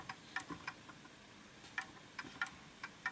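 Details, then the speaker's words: Art Deco Enfield Westminster chime mantel clock with the pendulum deliberately pushed off center: sharp ticks at uneven gaps, about 94 per minute, in a limping tick-tock; the clock is out of beat until the crutch is nudged back to center. "So I've just swung it a little bit too much. Hold on, let me just make sure that's nice. So that's off kilter, you can tell."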